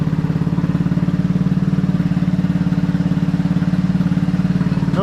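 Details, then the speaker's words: 150cc GY6 Maddog scooter, abandoned and just reassembled, first start, starts first try; steady even idle putter with regular pulse, no knocks or misses, running smoothly. "start first try oh yeah so with her sounds really really really good"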